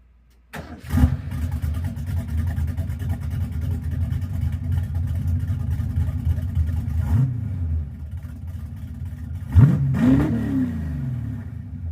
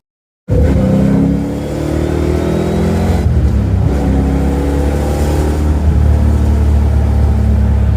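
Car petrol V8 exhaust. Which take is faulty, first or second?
second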